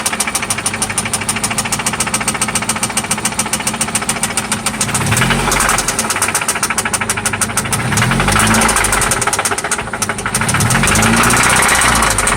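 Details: 1995 Toyota Celica ST after an oil change and spark plug replacement: a loud, sharp, slightly uneven knock at about 3–4 per second over the idle, not fading as revs shift; it seems to come from one spot, and its cause is unknown.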